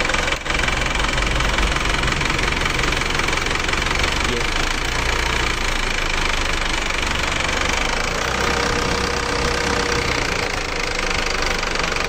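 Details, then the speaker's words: Isuzu Elf diesel truck after replacing two cylinder liners without removing the engine: steady diesel idle with even unbroken clatter, no uneven knocks or misses, sounding smoother than before; compression possibly better. "Kita merasakan suara mesinnya kayaknya lebih halus daripada sebelumnya. Ini kayaknya lebih halus sekarang ya."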